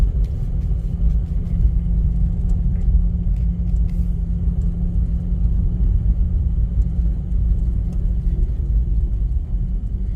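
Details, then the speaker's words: 2009 Mazda RX-8 Grand Touring rotary, 6-speed manual, 215k miles, unrun 8 months with suspected low compression, idling in gear with the defrost/AC compressor loading it around -8°. Idle sags slightly, then rebounds without stumbling, so it is normal. "See, and it didn't want to die. I mean, it rebounded like you'd expect it to."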